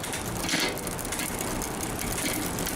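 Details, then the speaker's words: Newly built mountain bike with a SRAM rear derailleur, before adjustment: steady dry ratcheting chatter from the cassette when shifting and pedalling, because the upper pulley sits too far from the cogs; the fix is adjusting the B-screw closer. "when you shift, you're getting a little bit of noise. So what you want to do is this B screw back here, this adjusts closer to the cage or farther away from the cage."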